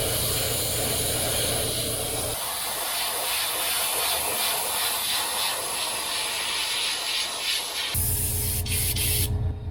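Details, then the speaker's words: Airbrush spraying cheap craft acrylic thinned with two drops of reducer onto a crankbait lure: even spray hiss suddenly thins, goes ragged and cuts in and out; nozzle clogging with the acrylic paint. "getting clogs i've had this problem in a while"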